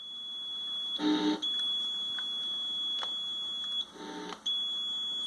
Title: Weird noise from pedal